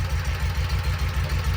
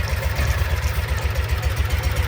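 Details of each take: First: 2012 Kawasaki Mule 4010, liquid-cooled V-twin, 250 hours, after replacing a broken spark plug: steady, even low thump at idle, now firing on both cylinders; that cylinder had loaded up with fuel when it misfired. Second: 2012 Kawasaki Mule 4010, EFI liquid-cooled V-twin, down on power with a lumpy idle and a deep thud about every quarter second. The rear cylinder has a dead miss after the water-spray test; the cause was a broken spark plug.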